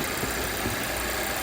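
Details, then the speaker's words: 2017 Volvo XC60 idling after the vacuum leak behind P0507/P0171 was fixed, fuel trims down from about +50: an even, steady hum with no stumble, hiss or hunting, running normally. "Car RPM good, run good. Run okay. Nothing here. Run perfect, run like"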